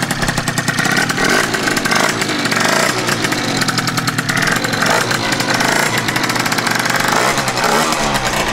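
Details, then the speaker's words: Freshly built tuned scooter with Stage6 Pro Replica Mk2 exhaust, first run, started on choke: buzzy two-stroke, revs rising and falling in short blips, firing crisp and even; started straight away, sounds healthy. "Vergaser ist Sprit drin, müsste angehen. Toi, toi, toi. Ja. Das klingt doch gut. Das klingt doch gut."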